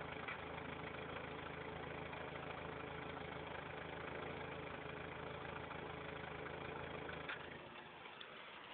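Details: Factory turbo Toyota 4Runner at idle: uneven, stumbling exhaust beat around four pulses a second that wanders; pulsing goes away briefly when revved above 3000 rpm, then returns; rough idle.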